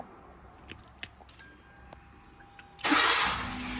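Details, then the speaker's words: Car with start-stop after an electrical reinstall: the starter kept turning after the engine caught until a mini relay was wired to the alternator wire; now a brief crank catches quickly into steady idle with no starter whine afterward, starter disengaging cleanly after the fix. ">> Acabou o barulho. Acabou o barulho."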